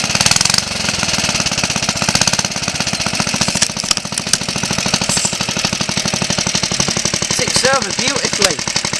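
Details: Suffolk Colt 12-inch lawnmower single, first start in about 20 years after full strip-down rebuild with new valve and ignition coil gaps set: quick, even, steady firing with no misses or knocks; runs smoothly.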